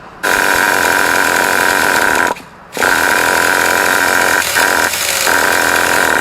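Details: Traxxas T-Maxx 2.5 classic nitro RC (bought used) on 20% nitro after adjusting the high-speed needle: three bursts of steady buzzing starter whine with short pauses, and the engine never fires; cranks but won't start.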